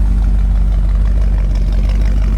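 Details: 1963 Impala SS V8, freshly built and dialed in with opened-up heads, Z20 springs and a different-duration cam. Deep, steady, even exhaust burble with no knocks or misses; quiet, smooth, normal idle.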